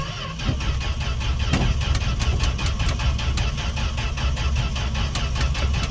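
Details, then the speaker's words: Fargo D100 (Dodge D100) pickup cold start after sitting all winter, gas poured down carb throat, choke on: steady cranking with compression pulses, never fires; owner suspects no spark, plans to check spark. "I don't know if we got sparked should have popped off by now all right well that was a fail"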